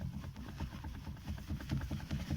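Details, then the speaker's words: VAZ 2115 steering rack: dull, irregular clunks over a low engine rumble, knocking from heavy play felt at the tie rod; rack to be removed and reworked. "так вот ну что в принципе говорить от монстрик и как оно стучит на живот за тягу берем и не слышно будет нет"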